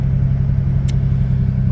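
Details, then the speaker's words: Engine idling after replacing the stock intake hose with a K&N cold air intake tube and drop-in filter, battery reconnected, listening under the hood for air leaks: smooth, deep steady hum with no hiss, whistle or knock. No check engine light, normal idle. "engine started so far no uh check engine light so that's good now we'll just listen to what it sounds like under the hood"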